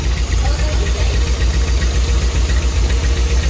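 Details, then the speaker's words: 1991 Nissan 240SX after an oil change: lumpy, uneven idle with heavy low thumping pulses and the engine shaking hard on bad mounts; misfire, suspected from an air leak or old plugs, wires, cap and rotor, not confirmed. "did you hear that that's misfiring this was firing like crazy man we're gonna need some mounts look how that thing's shaking"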